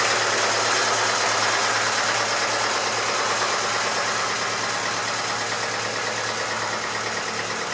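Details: Massey Ferguson 35 (835) tractor with Standard 23C diesel, first run in at least a year: even idle clatter at about three beats a second with no misses or hunting. It runs smoothly with some blow-by expected for its age; the owner suspects a coolant leak from a hose clamp.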